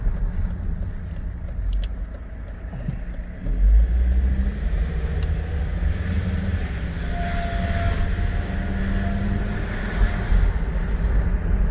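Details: Volvo XC90 2.4 D5 diesel: faint high whine rises above road and engine rumble only when accelerating, started today with hesitation on acceleration and strong diesel smell inside the car; whining noise under acceleration.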